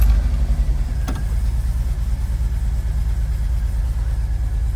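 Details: 1986-1991 VW Vanagon, Digifant injection, previously high/varying idle, now hooked up: low, steady, even idle with no hunting or surging; normal idle.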